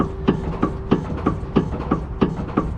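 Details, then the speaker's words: Dodge ProMaster van clunk over bumps, reproduced by rocking the van: sharp metallic knocks about three a second from play in the sway bar end link's worn orbital joint; quiets when the link is gripped; link to be replaced. "coming from the play that's in that sway bar end link now if i grab it quiets up so what that is you can stop rocking it is that is the orbital joint inside of the sway bar link has uh too much play"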